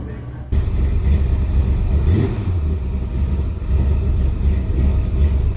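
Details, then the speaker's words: V8 Pinto idling choppy and rough with vacuum advance connected: 12° initial timing reading over 30° at idle as advance comes in too soon; idle quality and rpm change markedly when disconnecting and reconnecting the vacuum advance. "why does it sound like it's running so rough now it sounds choppy that's pretty bad a lot that is way too much you can hear the huge difference in idle quality and rpm when just disconnecting and reconnecting the vacuum advance"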